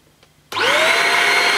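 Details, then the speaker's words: Shark Rocket corded handheld vacuum, 550 W suction unit, 80 W motorised power nozzle, brushes on setting one (hard floor, slow): sudden start into a steady, even high whir at constant pitch, no rattles or grinding; normal running. "slower that is very slow obviously you don't want the brushes rotating at a high speed because it can scatter the dirt on a hard floor but that's that's slower than I expected it to be"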